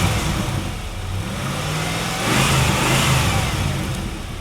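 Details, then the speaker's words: Low-mileage 1997 Chevrolet Camaro SS with misfire two shops couldn't fix, after cleaning injectors gummed by long-sitting fuel: clean, even idle rising smoothly through a quick rev and settling back, no stumble or misfire; much smoother. "I'm anxious to hear how it sounds and then, you know, rev it. I want to see if it's nice and smooth now."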